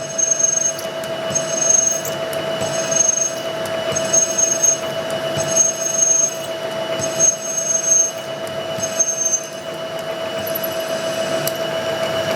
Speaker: This is pretty hard bronze here. And you can hear it. You hear it squealing a little bit.